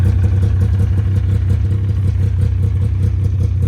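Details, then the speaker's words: Ski-Doo Skandic two-stroke snowmobile, odometer reads 7,000 miles, started about three days after purchase: a deep, steady, even burble at idle with no knock or misfire, though it smokes heavily, smells bad and the oil light is on; normal idle. "She purrs. Pretty sweet. It smells kind of bad and it smokes like crazy."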